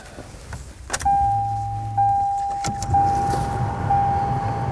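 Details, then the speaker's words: 1998 Ford Contour after a replacement blower motor was installed: after a few clicks it spins up to a steady, clean whir with no rattle or squeal and works on all speeds, so the resistor is good. Normal blower motor operation. "On all speeds too, which is good, because If it only worked on high, that would mean that the resistor is bad, but it works on all speeds, so the resistor is good. It's moving air."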